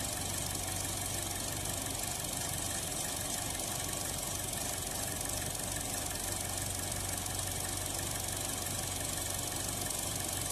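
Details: 2016 Buick Encore idling rough and surging, intermittently stalling, code P0131; uneven wavering idle under steady airy hiss from a vacuum leak at the crankcase vent valve disc on the valve cover.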